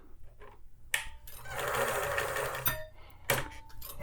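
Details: Thrift-store vintage Pfaff 360 sewing machine, tested before lubrication: a short burst of smooth, even whirring between handling clicks, with no knocking or grinding; normal running.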